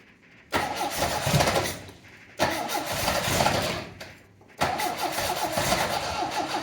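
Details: 1980 MGB after clutch release fix and refuelling from empty: short cranks, engine catches twice and settles into rough but steady cold idle.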